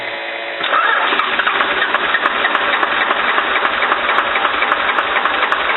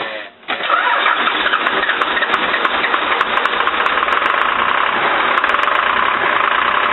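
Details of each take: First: Cummins diesel with VE injection pump, after an injector line fix, throttle held to the floor: starter churns steadily at about three to four compressions a second but the engine does not catch; extended cranking, no start. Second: Cummins diesel with VE injection pump after injector line repair: cranks briefly, catches and settles into a steady, even diesel clatter at idle without misses; fuel delivery restored, normal start and idle.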